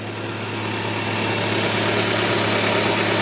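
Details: 2004 Ford Fiesta idling after water pump replacement, fixing the earlier squeal and accessory-belt noise; steady, even smooth hum with no knocks, squeal or grinding from the pump area; healthy.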